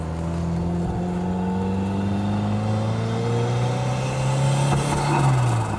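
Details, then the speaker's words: 1983 Lotus Esprit turbo four, full temperature, 60 psi oil pressure, boost working, on a drive through third, fourth and fifth gears: smooth, even engine note climbing in pitch as revs build, no knocks or rattles. "Ooh, it sounds good. Nice and smooth."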